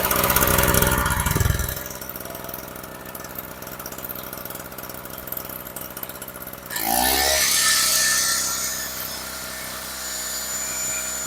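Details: Storm Cat 700W two-stroke 63cc generator after repair, started on choke, run on 40:1 fuel mix (spec 50:1), a little smoky: catches with a quick rising buzz, then settles into a steady, even drone with no surging or misfire; running properly.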